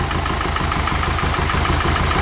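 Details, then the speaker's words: Nissan 240SX S13 after replacing a part and hose clamps: uneven, lumpy idle pulsing about five or six times a second, engine shaking as if on two cylinders, dies when revved; misfire cause not yet found. "Doesn't sound like it's running on 2 cylinders. If it wants to rev up at all. No, you see the engine shaking so much."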